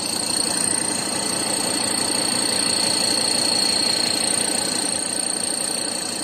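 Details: Ford Ranger 3.2 diesel at steady idle with a light, regular knock about three times a second, mistaken for an engine or intake leak noise; belt wetted and intake/turbo leaks fixed without change, noise vanishes when stepped on; cause was a loose shock absorber top nut.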